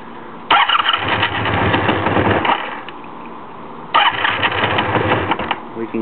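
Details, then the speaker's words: 1984 Honda Magna V65, very hard start, choke off: engine fires and revs raggedly for about two seconds, dies, catches again and falters; starts but won't take throttle, seemingly not getting enough fuel. "We can get her started, but we can't give her any gas. Now it's not getting enough gas, it sounds like."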